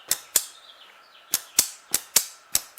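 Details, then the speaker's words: 1938 Buick Special Orpin series-parallel starter switch bench test, wires to battery positive: sharp dry clicks, about eight in three seconds, quiet background; switch activates normally and test light burns. "So we should hear it click and that test light should come on."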